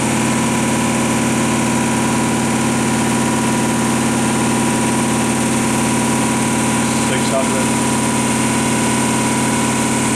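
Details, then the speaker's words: Sunnen ML-4000-D power-stroked horizontal honing machine, spindle brought back up to about 800–1,000 rpm in manual: steady even hum, constant tones, no knocks or grinding; spindle runs smoothly and sounds healthy. "Take it up to 8 or 9. 1,000. This works nice."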